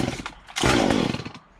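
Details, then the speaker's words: Stihl MS 193C chainsaw after carburetor cleaning (previously cut out on throttle), full choke, primed about 10 times: a quick pull, then a short rough burst of firing that drops away. Normal first cold start on choke. "So I'm gonna give it full choke. Put the choke here. We're gonna prime it a few times."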